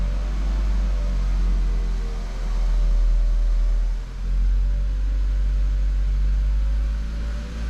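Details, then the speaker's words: VW Golf Mk5, 50,000 km, after the fuel hoses rattling inside the frame since a fuel filter change were secured with cable ties: a steady low hum with gentle rev swells and no rattle or buzz. "Well, no more noise from the engine. Well, no more rattling noises."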